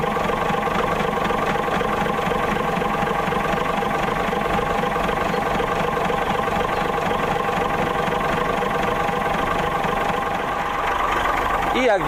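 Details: Autosan H9 bus diesel just started after a long standstill: even, steady idle clatter with no misses or stumbles; running fine.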